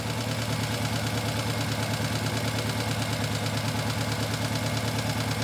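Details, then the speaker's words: Engine running on three cylinders with one injector deliberately disconnected for a misfire scope test: idle lopes with uneven thump about three times a second, shaky; dead cylinder not firing. "okay we're running on three cylinders here we go"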